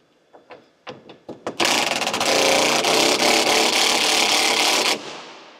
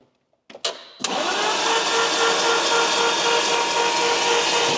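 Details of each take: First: Lamborghini Gallardo, long unused and apparently flooded: a few short cranking bursts, then the engine catches and settles into a steady, loud, even roar. Normal start. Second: Lamborghini Gallardo, long unused and apparently flooded, cranked and not meant to run: steady fast, even whirr with no firing. Oil tank emptied and no oil pressure built yet, so oil is being added to prime.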